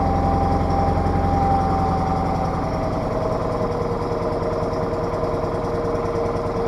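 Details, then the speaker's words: Case 446 garden tractor, old Onan twin (burning oil, rebuild planned), just after cold start in shop: lumpy burbling steady beat, strong gas smell, running super rich; carburetor adjuster screw to be turned after warm-up. "Yeah, you can just smell all that gas. It's running super rich."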